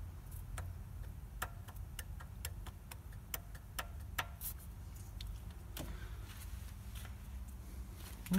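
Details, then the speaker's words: Opel Astra H Z16XER engine burning oil: sharp, irregular metallic ticks a few per second over low idle rumble; worn piston group knocking, exhaust valves oil-wet and carboned. "эта деталь тоже стучит, это признак износа."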